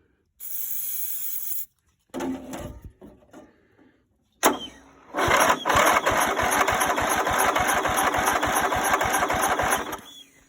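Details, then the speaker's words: Greenfield Model 11 ride-on mower, Briggs & Stratton 11 hp, sat over five years, first start attempts with fuel added: stop-start cranking, sharp pop and rough uneven chuffing; intermittent firing with backfire through the carburettor. "Well, heard something, so I wouldn't say she's running yet, but definitely something's firing. Nothing like a backfire at the Carby to wake you up in the morning."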